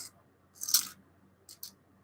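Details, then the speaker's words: Device shaken: two short bright tinny rattles with silence between; a small spring had fallen off the connector cap and was loose inside the case. "oh wait it's just the spring that's all right yeah it's just this has fallen off the uh connector cap"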